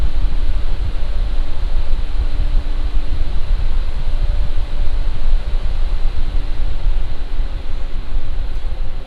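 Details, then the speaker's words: Lian Li Galahad II Lite AIO with original non-ARGB fans, mic about 1 foot from radiator, second Cinebench full-load run: steady even whoosh with faint low hum, no ticking, rattle or bearing growl; normal fans. "Now I'm going to run Cinebench, and this is at load."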